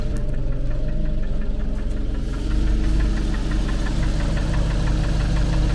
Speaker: Ouais, mais on l'entend bien effectivement ce fameux claque. Don on sait pas d'où ça sort.